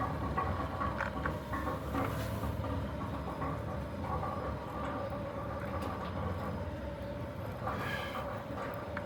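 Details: Centurion D5 Evo Smart sliding gate motor after a fresh installation, with the gate travelling after reaching its end stop. A steady, even motor hum under a light rolling rumble, no knocking, grinding or vibration. Normal, healthy gate drive.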